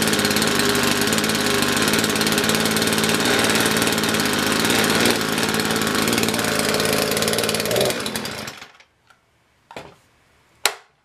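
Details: Poulan Pro PP4218AV 42cc two-stroke chainsaw after reassembly, primed: screams about eight seconds with a ragged, uneven buzz, then bogs and dies; owner thought it spark related; cold-scored piston.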